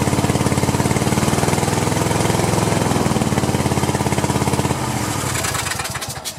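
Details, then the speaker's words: Cub Cadet LT1050 with Kohler twin (about 25–26 hp), burning oil, run with one spark plug lead disconnected: uneven choppy pulses with rattly exhaust that stumble and die; rough running on one cylinder, cause not yet confirmed. "i think i'm going to fire it off off of one cylinder and see what each cylinder sounds like you know i'll leave that one connected on this try and then i'll flip them connect this one and vice versa see what it sounds like"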